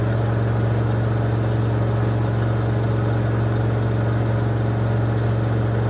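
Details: LG WM14225FD front-loader washing machine from 2006 on its final 1400 rpm spin of a 60°C cotton cycle with an off-balance load: steady hum with a rough droning rumble at top speed, worn drum bearings.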